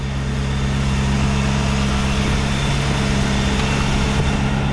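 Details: 1949 Buick Roadmaster hearse straight eight, revived after sitting over 6 years, points filed, automatic choke hooked up, still cold, oil pressure between N and H: steady, even low idle with smooth unbroken beat, no knocks or misses; normal idle.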